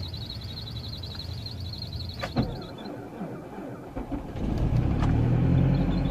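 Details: 2006 MazdaSpeed6 cold start at -32°C (windchill -45°C) after sitting about 48 hours, failed first attempt: slow labouring crank, then it catches and settles into a low rough rumble; hard cold start.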